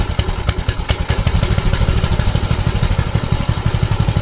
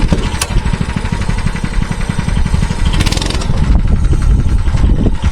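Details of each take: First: Mini bike small single-cylinder engine before fix: uneven lumpy idle about three firings a second with clattery edge; bogs and dies on throttle, backfires and smokes, cause unclear. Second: Mini bike that stalled on throttle, now running with the spring removed and rear end on jacks: fast, steady single-cylinder beat with no surging or dying; fixed, though the gumming carburettor still needs replacing.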